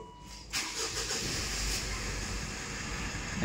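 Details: Mitsubishi Montero with a 4N15 diesel after throttle body replacement and clearing fault code P0638: quick crank, catches at once and settles into a smooth, even idle with no knocks; check engine light gone; normal start and idle.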